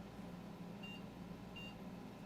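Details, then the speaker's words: GTX 1080 Founders Edition graphics card, no shorts found but low memory-rail resistance (0.7 MΩ): motherboard gives short high beeps about every 0.7 seconds, the six-beep code meaning the card is not detected. "You see, it's beeping 6 times to indicate that the card is not being detected by the motherboard."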